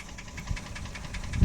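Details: Toyota 1KR-FE three-cylinder engine at idle with the hood open gives a sharp, light metallic ticking about seven times a second. The owner says that when started cold in winter the valvetrain knocked and quieted once warm, but the knock's origin is still unknown.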